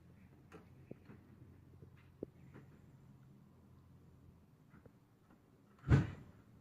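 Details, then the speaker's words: 1964 Coleman vintage camper furnace, thermostat calling for heat: a few quiet clicks, then a soft whoosh as the burner lights and settles; normal ignition after jiggling the thermostat. "What are we doing down here? Big fire, heat, flameage, yay, success. Got it working."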